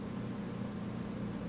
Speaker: Okay, you can hear it vacuuming now.